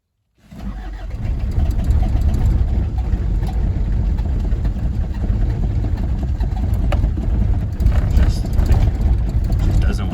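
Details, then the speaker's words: 1981 Isuzu Pup 2.2L C223 diesel, sat a week at about 50–60°F, cranked after glow lights go off: deep, uneven cranking for ten seconds without firing. Hard cold start; owner suspects botched timing-belt/static timing and a leaking cold start device. "here seems I got to keep cranking it maybe kind of let off cranking and try pumping in the pedal and it uh doesn't seem to go but it seems like it's almost ready to like it"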